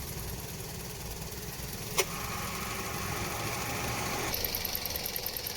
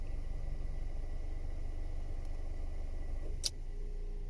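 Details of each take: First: Toyota Vios at 260,206 km after AC repair with standard Denso parts, new condenser and leak fix, tested at idle in sun with hood closed: steady idle, compressor and fan humming smoothly, fan cycling, cabin air cooling; normal AC operation. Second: Toyota Vios at 260,206 km with a non-original replacement evaporator, refrigerant leak and compressor getting noisy; heard inside the cabin, parked in the sun, before repair: low hum with a steady howl while the AC compressor runs, a worn evaporator howling.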